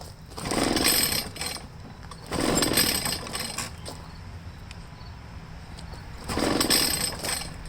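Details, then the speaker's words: Echo PB500H blower with a no-start, cranked on choke with a little throttle: three cranking bursts with brief sputters that never catch; flooding is suspected and the spark plug is pulled next. "it sounds a little bit like it wants to do something but it's not quite doing anything"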